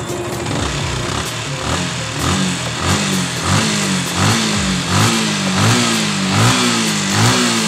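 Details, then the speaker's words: Sniper motorcycle engine after top-end repair where the trigger arm was replaced; small revving blips about once a second, smooth with no ticking from the top end, the valve tick now gone. "Yan, wala lagitik na."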